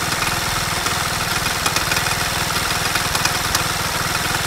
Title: Стук в двигателе что это???